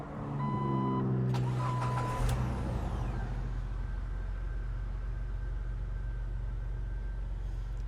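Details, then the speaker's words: Jeep Wrangler start-up: a quick crank catches at once and settles into a steady, even idle with no knocks or misses. No check-engine or dash lights, temperature holding well, only run briefly and not yet driven. Normal start and idle. "absolutely perfect sounds amazing let me go pop the hood no check engine lights or anything"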